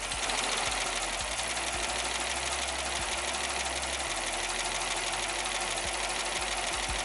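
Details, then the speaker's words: 2006 Jeep Commander 5.7 Hemi V8 after lifter replacement, idling: steady idle with only a light, fast, even injector tick, no lifter tap, shaking, rough idle or misfire, and the check engine light is off. "listen to that all you hear is injected ticking [Applause] it's not shaking it's not idling rug there's no misfires the check engine light is off"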